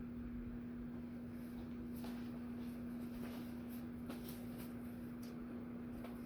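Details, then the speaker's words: SMC 24k gold plated ceiling fan model KC52 on test rig around half power: soft steady hum with faint even air chop, no ticks or rubbing, nearly silent; normal fan running. "It's at this point where at least we're at this range, the chopping air starts to I'm almost okay calling it silent."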